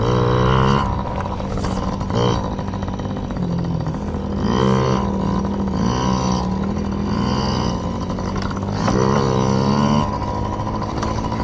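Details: Yamaha PW50 two-stroke warming up after carburetor clean for bogging and dying at wide open throttle: crisp buzz rising and falling cleanly with throttle, no bogging or dying; carb now delivering fuel properly.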